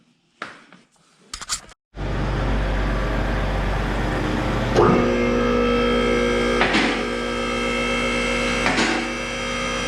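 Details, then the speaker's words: BMW E90 with N52 engine, after an oil and filter change, at idle on the lift just after start-up: it catches and settles into a steady, even idle with a faint light tick; everything sounds good, normal idle. "everything's good probably sounds ticking on the video but everything sounds good"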